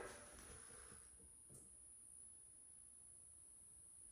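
Very quiet room with a thin, steady high-pitched squeal that never changes; the light fitting is whining, cause unknown.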